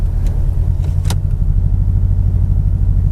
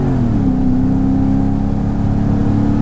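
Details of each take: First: Mercedes-Benz E55 AMG W210 with Kleemann 55-K2 supercharger fitted: heavy, lumpy V8 idle, uneven beat and engine shaking, limp mode; multi-cylinder misfire, owner suspected MAF sensor, later traced to Bosch F5DC spark plugs. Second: Mercedes-Benz E55 AMG W210 with a Kleemann supercharger and a misfire problem, ESP off, manual mode, revs built gradually to 5,000–5,500 rpm without limp mode: a smooth rising supercharger whine over the V8 roar, normal.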